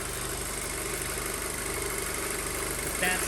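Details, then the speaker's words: 2007 Audi A4 2.0 FSI/TFSI, 141K miles, rebuilt engine after low oil pressure, early break-in: even steady idle, slightly high with faint shimmy, no misfires; owner suspects purge flow system and ECU recalibrating; normal idle. "so it could just be that the purge flow system and ecu are recalibrating getting everything going but it sounds good so you sound great"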